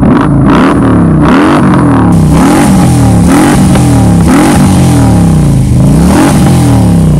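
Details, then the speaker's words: 2015 Harley-Davidson Road King Police Edition, 16,000 original miles, Freedom pipe exhaust: loud deep V-twin rises and falls cleanly through repeated throttle blips, crisp response, no knocks, rattles or misses; healthy engine. "motor sounds really good and that's pretty much it"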